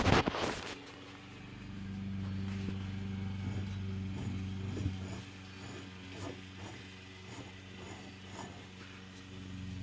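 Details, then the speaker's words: 2010 Toyota Venza hub bearing after a shop pressed it in, spun by hand off the car: gritty, uneven clicking about four times a second, binding and with play. The bearing is shot; the bearing job was done badly. "it's bound up like right there I can't even that's putting a lot pressure on it moving the whole thing so this is shot"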